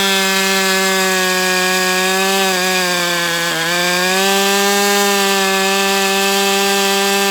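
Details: Brat 28 model glow engine run after the needle was leaned out, prop on, not doing this the day before: steady high buzz sagging briefly mid-clip then recovering, with an abnormal whirring sound; bubbles under the glow plug head, dark oil leaking at exhaust, owner wonders about hydro lock or loose muffler.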